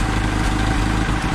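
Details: Jeep CJ-2A with L134 engine idling after carb adjustment: low steady idle with a rhythmic pulsing puff in the exhaust; owner diagnosed a leaking gasket between intake and exhaust manifolds, bolts possibly loosened over heat cycles; heat riser counterweight also flutters.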